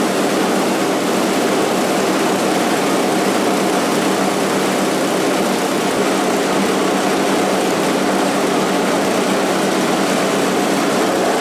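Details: Scrap-heap snowblower after its sludge-filled carburetor was cleaned and the jet flushed with carb cleaner: a steady, even drone with no misses, knocks or surging over the whole run. The small engine is running normally and healthy.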